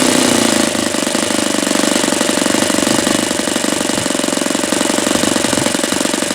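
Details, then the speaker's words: Saito FA-72a model four-stroke on its first run, about 71°F, after leaning, when the beginnings of detonation were suspected: a fast, even idle with a soft, burbling beat. The low-speed mixture is a hair too rich and gets leaned slightly. "Okay, so that little test tells me that was just a hair too uh rich. So, I'm going to lean it out just a little bit here, provided this thing doesn't move on me."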